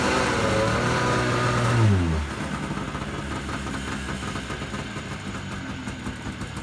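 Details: Yamaha Enticer 300 two-stroke snowmobile, year unknown, 120 psi compression per side, reportedly ran last winter; after revival it revs up then drops back to a crisp, steady burbling idle; runs clean, normal running.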